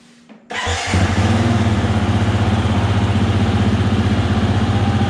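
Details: 2020 Husqvarna FE 350 with 40 hours, reassembled after an in-tank fuel filter replacement aimed at the bogging under open throttle, started in a closed garage: catches at once into a steady, even single-cylinder idle with no misses or knocks; idle may need tweaking.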